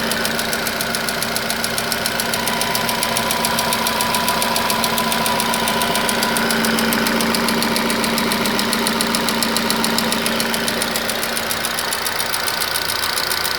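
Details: Nissan Qashqai HR16 engine at idle: sharp, regular knock about 3.5 per second tracking engine speed; persists after two engine flushes and an oil change, cause not identified.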